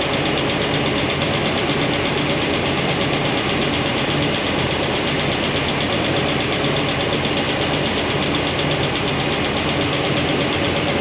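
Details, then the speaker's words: Steady idle, valve covers off, new hydraulic roller cam and lifter combo after break-in: fast, light tick from number 7 exhaust returns after retightening the poly locks. That lifter shows little oil flow; it won't adjust out. "And it comes right back. Comes right back. Use a screwdriver. All a little noisy, not too bad."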